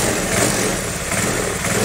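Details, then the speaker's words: Carbureted Honda Vario 110 scooter after replacing a worn cam chain tensioner that made a metallic ticking: steady idle rising a little with the throttle, no top-end ticking. Normal idle after repair. "Syukur alhamdulillah motornya sudah kembali normal, lancar lagi seperti semula, oke, terima kasih sudah menonton, teman-teman."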